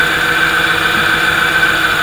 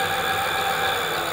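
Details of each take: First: Nyx e-bike hub motor on an Adaptto controller at about 50 km/h during setup: steady mid-pitched whine with a rough buzzing edge; motor timing untuned, being adjusted to around 558 microseconds for the smoothest running. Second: Hub motor on e-bike with Adaptto controller during setup fine-tuning: steady, even motor hum with no wobble or vibration at constant speed after adjusting base frequency to mid-range; motor running smoothly and correctly tuned.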